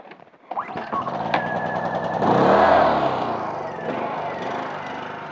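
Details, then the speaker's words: Honda 2000 generator left sitting with fuel in the tank. The engine note swells up, then sags and hunts at idle; surging at idle. "as a result this honda 2000 is now surging at idle"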